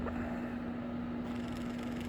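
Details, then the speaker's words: Skate wheel bearing hand-spun alone after pulling the wheel: free spin but steady hum with gritty, uneven ticking rasp, felt through the skate; bearing feels burred, used in winter snowy skating. Rough, damaged bearing, other of pair smooth. "So it has free spin, but it's got a ticking sound. You could feel it through the skate too."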